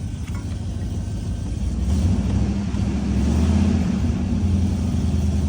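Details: 2004 Chevy Silverado with newly installed long tube headers: deep V8 idle swelling under light throttle with a loose puffing rattle about three a second; exhaust manifold leak.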